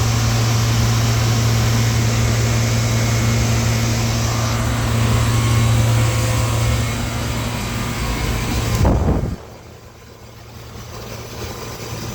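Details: Through-the-wall AC condenser on a no-cooling call, after the condenser fan motor was started: steady low hum with a coarse tumbling rattle until cutoff, compressor sounding like it has rocks in it, pointing to internal damage.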